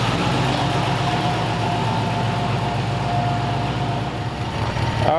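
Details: 1929 Ford Roadster Pickup, formerly straight-piped, after a new full exhaust with small glass-pack mufflers: steady, even low idle rumble at about four beats a second, no knocks or misses, much quieter than before; normal idle.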